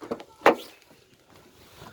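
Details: Door hinge squeak persisting after rubbing candle wax on the hinge (candle lifehack failed; special hinge grease also gave same result); one short sharp squeal as the door swings; cause and fix still unknown.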